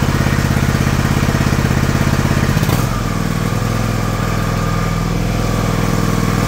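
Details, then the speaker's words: John Deere LX178 single-cylinder mower engine with new replacement carburetor: steady even putter dropping to a slower smooth idle, firing regular; normal idle. "nice I'm going to look at see if I can slow that down a little"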